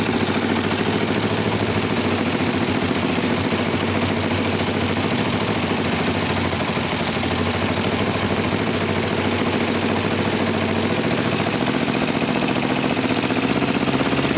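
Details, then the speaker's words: Kawasaki GPZ 500 cafe racer, hard starting and misfiring: low, lumpy idle with a rough uneven beat before the adjustment screw is set; unsynchronized carburettors. "Venga, pues vamos a arrancar. Están descompensados y vamos a darle al tornillo."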